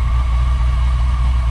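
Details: LS-swapped Beetle, first start with newly installed turbo mufflers: deep, even exhaust rumble at a fast cold idle, no misses or ticks, smooth; healthy engine idling cold.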